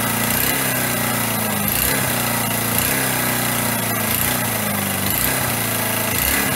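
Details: Single-cylinder motorcycle engine running after a rebuild with missing tensioners and snapped head bolts, exhaust valve clearances set, oil circulating: runs fast and steady with an even, unbroken beat and no knocks or misses.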